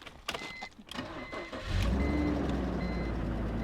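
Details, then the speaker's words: 2003 BMW E46 330Ci, automatic, about 155,700 miles, Copart purchase with a small radiator leak: catches quickly and settles into a smooth, steady idle without stumbling; normal engine start. "So it's let's fire it up and show them what it sounds like. I mean, it starts right up. Like I said, it runs and drives."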